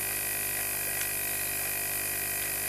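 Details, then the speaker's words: Constant hiss and fizzing bubbling with faint pump hum from a homemade micro sewage treatment station's biological activator; the airlift pump hose came off after the activator was lowered, so air escapes freely and the water bubbles. "maintenant après un certain temps donc j'ai été forcé de diminuer en hauteur sinon il ya des taux moyens à cause de de secours delà de notre couvercle et par la même occasion le le tuyau de la pompe s'est fait la malle"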